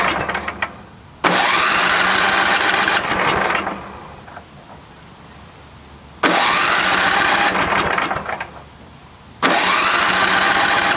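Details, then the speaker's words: Vintage snowblower small engine, fuel mixed with 2-stroke oil: catches with loud roar, sputters and dies, restarts twice; carburetor bowl held half gas, half water drawn in by engine, drained. "The water will go to the bottom of the bowl, so the engine will be sucking up water. So I drained that out. It seemed like it was half gas, half water, but the water's at the bottom, so we'll try again."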